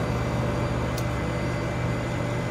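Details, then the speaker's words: THERMO-DIVE Model 105 diver hot-water heat pump unit, about 15 seconds after start-up, inlet water 63 degrees, set point 106. Compressor kicks on with steady low hum around 120 Hz, smooth, no knocking or rattling. "We've just started the unit up just about 15 seconds ago. You should hear the compressor kick on"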